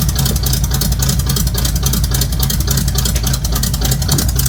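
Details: Quick listen test of a truck with race bullet mufflers; deep lumpy idle with loud open-exhaust burble, steady even pulses; normal idle and revs, healthy engine with loud free-flowing exhaust.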